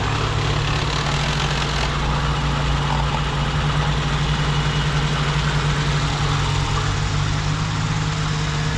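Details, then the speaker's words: 1987 BMW 528e (E28) with 4HP22 automatic after fluid service: smooth, even idle drone with no whine or clunk; earlier noise fixed by replacing a clogged transmission filter, now engages gear faster. "I think that was it. Jerome, that fixed it. And it's going into gear a lot faster. Yeah. Clogged filter in the transmission. That's what that noise was."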